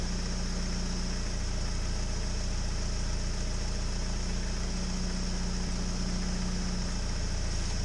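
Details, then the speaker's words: 1998 Mitsubishi Eclipse, warmed up, idling steadily and evenly with no stumble or misfire after the battery's positive terminal is removed; it keeps running, so the alternator is fine and the battery was the problem. "So it was the battery that was the problem. That's good. See, this is off. It's continuing to run."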